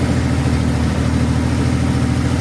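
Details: 1964 Chevrolet Corvair barn find, long stored, running on a fuel drip tank to both carburetors: deep, even flat-six idle with steady low pulse, no knocks or misses; ignition light off and generator charging per voltmeter; normal idle.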